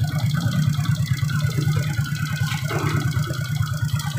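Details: Suzuki Shogun 125 single-cylinder idling with battery disconnected after replacing the weak regulator/rectifier (kiprok) that had caused rough engine sound: even, moderate idle, no roughness or missed beats, now smooth.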